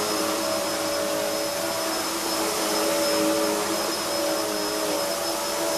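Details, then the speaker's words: Hoover upright vacuum (line introduced 1997) with a soft-start motor that builds speed gradually. Loud, steady motor roar with a constant high whistle and brush-roll whirr; the thin brush roll is noted as quite noisy. Normal running. "it's got a soft start motor so that when you turn it on it's very similar to The Back zoom and the way it starts it starts off and it builds up the speed gradually"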